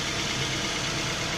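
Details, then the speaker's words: Replacement used Toyota 3SZ engine from Vladivostok in a Toyota Rush, fitted to replace a knocking engine, idles quietly and smoothly with a soft even hiss and no knocks, after running 15–20 minutes. "так что у так вот контрактный мотор действительно ценю ту владивостоке не обманули человек просто шепчет"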